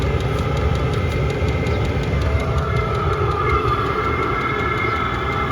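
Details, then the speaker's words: Diesel air heater (roughly 2–5 kW) on battery power, supply voltage around 12.6–13.2 V, about 35 degrees outside, at full throttle: steady roaring air rush with quick even ticking about five per second; running cleanly without smoke. "I think the lowest I've seen is 12.6 so that means there's enough energy or current low puck now it's running at Full Throttle again"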